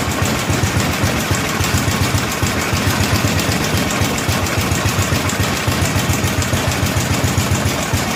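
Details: 1964 Cushman Scotsman golf cart single-cylinder, governor disconnected: chugs at lumpy uneven idle, about three or four pulses a second, while carburetor adjustment screws are being tuned.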